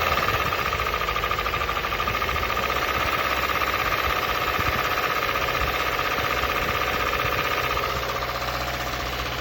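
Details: 2015 Subaru Impreza WRX with about 100k miles idles with a rough, repeating engine knock, about two to three hits a second, under its drone.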